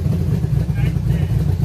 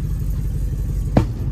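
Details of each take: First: 1966 Chevrolet C10 LS swap, test fire with Craigslist aftermarket cam reinstalled, before HP Tuners tuning: deep choppy lope at idle with uneven low pulses, no tapping; runs fine and better than stock cam. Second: 1966 Chevrolet C10 LS swap with Craigslist mystery cam, untuned before HP Tuners: deep uneven lumpy idle with a sharp backfire pop, misfiring and running rough, smells rich; cause not confirmed.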